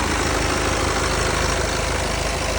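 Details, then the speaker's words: 2014 BMW 328d F11, B47 diesel, high mileage, just after oil change; steady even idle with light regular diesel clatter, no misses, knocks or surging, a little quieter than before; normal diesel idle. "So, it sounds good, it sounds normal, nothing seems out of place. These are pretty loud little engines, and I kind of like that. I like a little bit of diesel clatter, I'll be honest with you."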